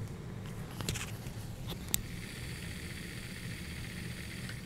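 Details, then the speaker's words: Pioneer CT-F1250 cassette deck after transport rework, in fast forward: a quiet, even low whir with light hiss. There is slight wobble on the wheel, but the centre pull piece is stable with no tugging. Normal fast forward. "very quiet and even though you get you see a little bit of wobble on the wheel here if you notice this center pull piece is very stable"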